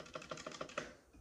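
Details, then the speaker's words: CosmicByte Firefly CB-GK-18 tenkeyless keyboard with Outemu Red switches, space bar stabilisers lubed with Vaseline, keyboard flat without height legs: soft, even key presses with no rattle; quiet, smooth space bar. "so if you keep it flat on the table ah look at that it's much smoother now"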